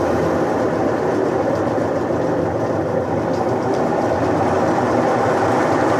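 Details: Electrolux washing machine that had made noise but would not work or spin, after repair: steady, even churning hum throughout with no knocks, scraping or stalling; washer motor running normally.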